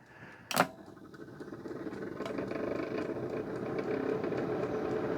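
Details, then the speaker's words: Used electric appliance with mechanical timer and heater, fan powered on: a click, then fan hum takes about 5 seconds to wind up with an uneven, lumpy drone and faint ticking, rattling on wind-down; suspected failed fan bearing, not confirmed. "Fan's working, but it sounds like it's a bit lumpy. It's okay now. That's wound up. Oh, no. That sounds like a bearing's gone."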